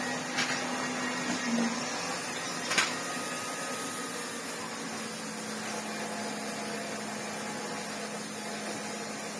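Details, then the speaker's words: 1987 Hoover Sensotronic System 20 vacuum cleaner motor humming, with a faint rough grind from a worn motor bearing at lower speed; sounds fine at normal speed; bearing replacement planned. "On a lower speed, obviously, you can hear the bearing grind away. But on a normal speed, it's lovely."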